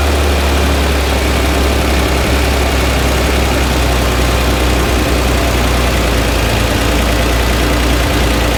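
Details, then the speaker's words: Flooded Chevrolet Corvair engine, microphone placed where the noise seems loudest: steady rough idle with a dull knock in the low rumble; bottom-end knock not diagnosable from the top, engine to come out and probably apart. "But I think at the end of the day, what matters most is that the knock is something that I can't diagnose from the top of the car."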